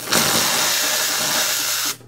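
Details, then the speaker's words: Zuriga E2-S espresso machine: steam wand purge gives a strong, steady hiss for nearly two seconds, then a clean cut-off, showing good steam power. "seht's auch nicht von schlechten Eltern da kommt gut Leistung raus"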